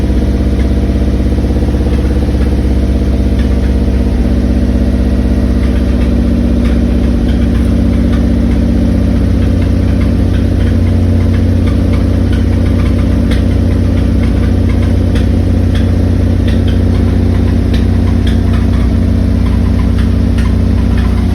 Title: 1991 3000gt vr4 start up plus weird noise! Anyone???